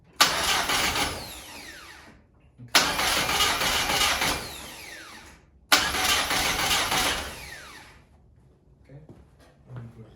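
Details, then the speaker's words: VW Golf 1 with a freshly fitted 2 L 8-valve engine at first start attempt: three cranking tries, each a two-second whirring spin that never catches. It cranks healthier than the old engine but gets no ignition; the distributor is not seated right. ">> At least it's cranking. It's still cranking. >> Yeah, >> at least it's cranking. And it sounds a bit more healthier than the other one."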